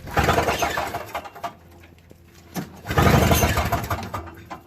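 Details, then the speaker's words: Toro Snow Commander 38602 single-stage snowblower, electric start via extension cord: two bursts of harsh gritty grinding, no catch, engine never fires; stripped gear on the electric starter motor, bad gas also found. "sounds like that teeth are going on that one too"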